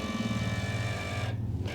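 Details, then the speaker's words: Steering actuator on a hobby-built T-1 Terminator tracked robot, during its first electronics test while demonstrating steering. A steady low motor hum with buzzy overtones sounds rougher than it should, though the actuator still works. "shouldn't be making that noise but it still seems to work"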